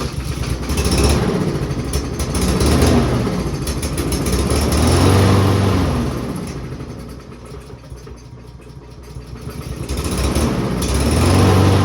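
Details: Peugeot 306 while trying to force fuel down into the carburetor: noise swells and dies every couple of seconds, never catching a steady beat; engine fails to start, cause not confirmed.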